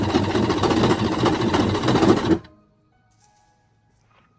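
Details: Jet ski after reinstalling the battery: fast, steady cranking at about three and a half turns a second while lots of water spits from the back, engine never catches; cranks but won't start.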